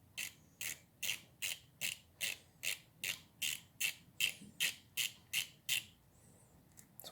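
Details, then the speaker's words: Snap-on FHX80A ratchet after rebuild: crisp, even clicks about two or three a second as it swings back and forth; pawl engaging cleanly, working fine. "Let me tighten these up. Getting tight. And this should that's very nice. It seems to be working just fine."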